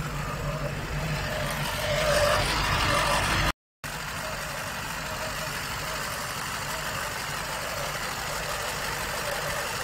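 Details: Lada Niva 1.7 after no-start problem: engine catches and settles into a steady, even idle with a smooth low hum and no misses or knocks; running normally.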